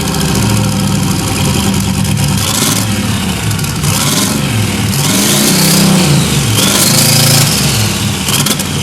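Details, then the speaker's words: 1992 Silverado with a turbo 5.3 LS swap and 5-speed, previously over-fueled with fouled spark plugs: loud, steady V8 idle with even firing and a slightly rich, lumpy note, no rod knock. Normal idle. "well it runs and it's not hammering rods so that's a plus"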